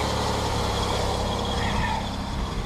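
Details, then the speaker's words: 2005 Ford Escape idling after a fuel filter install: smooth, even idle with a steady low hum, no misses or knocks. No gas leak seen or smelled, the warning light has gone off, and the truck runs great; it may need spark plugs. "Her truck is running great. Maybe some spark plugs."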